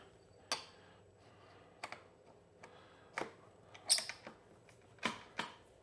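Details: Early-2000s Kawasaki KLX110 after kickstart repair, clutch reassembled: sharp mechanical clicks and clunks, each kick catching cleanly without slipping; kickstart engages normally.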